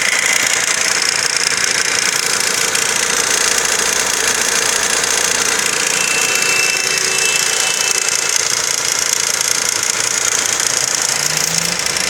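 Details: Engine at idle with a fast, fairly even ticking knock about three to four times a second throughout; owner unsure whether chain, bearing or valve; engine knock.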